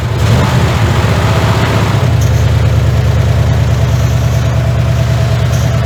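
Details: 1981 Ford F100 V8, revived after sitting 24 years and due for a rebuild: loud rough running with a heavy repeating knock about three a second under the exhaust; rod bearing knock.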